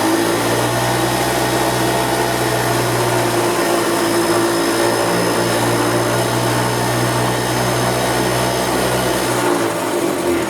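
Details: 1990 EZGO Marathon golf cart two-stroke with oil injection, jacked up since it has no neutral, after carburetor cleaning, new filters and fuel line: steady even buzz at constant pitch, no misses or knocks, runs good and strong.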